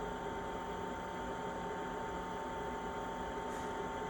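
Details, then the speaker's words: Chinese diesel heater with blue controller just switched off: quiet even fan whir with faint steady hum, no burner roar, as the fan blows through the chamber for a couple of minutes to cool it and prevent damage; normal shutdown purge. "It goes through this procedure for probably a couple of minutes with the fan blowing through the chamber to start and cool everything down. Basically so that the chamber isn't too hot and it causes damage."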